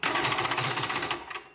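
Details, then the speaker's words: Polaris SL 750 jet ski, rebuilt with new cylinder: quick, even starter chatter for about a second with no firing, then it stops; won't start because the kill-switch safety lanyard was left off. "what's going on here I have to remember to put the lanyard back on every time I've done that three four times a gun man what am I doing wrong"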